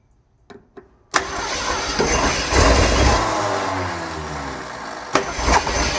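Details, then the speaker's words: 1968 Ford Torino with a seized engine, bought after long storage, first start via carburetor: cranks, catches and runs unevenly with loping surges; barely running rough, still needs work, jets possibly not working. "She ran. She ran. Counting that as running. Obviously we still got work to do"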